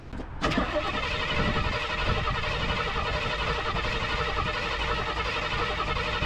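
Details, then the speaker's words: 1986 Jeep CJ7, built AMC 304 V8 (cam unknown, owner guesses Edelbrock-type), dirty and sat neglected: brief cranking, catches at once, settles into a steady, even idle without knocks or misses; normal cold start. "it is built um not exactly sure what cam or anything it has in it if I had a guess just by the way it sounds if it sounds like either the same Cam that I have in the javelin or equivalent maybe the Edelbrock setup not sure but it sounds about the same"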